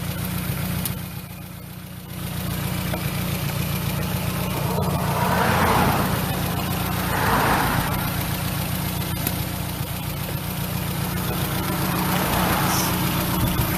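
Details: Engine after replacing worn ignition wires with new ones: steady idle rises smoothly through a few quick throttle blips with a clean intake rush, then settles back evenly; normal revving.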